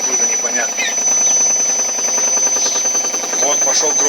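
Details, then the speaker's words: Ariston washing machine as the spin starts building speed: rhythmic knocking inside the drum gets louder and quicker over a steady high motor whine. Cause unknown. "громче, еще громче пошел, еще громче пошел, даже слышно. Обороты начинает набирать."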